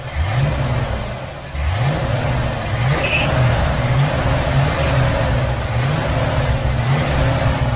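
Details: Restored 1969 Chevelle Malibu V8 with throttle blips, exhaust shown, before paint: deep even burble that swells cleanly on each blip and settles smoothly; owner says it runs great.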